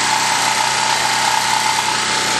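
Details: 196 cc 3250 W portable generator after two hours running in mid-90s°F heat, load just removed before shutdown: steady, even small-engine drone, constant tone, no misses or knocks; normal no-load idle.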